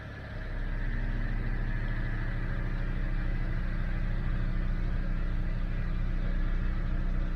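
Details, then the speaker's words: 2012 Dodge Avenger that had been in limp mode, started after throttle body work: fires and settles into a smooth, even idle with a steady low hum, no surging, and responds to throttle; normal idle. "give a little gas seems like it's responding"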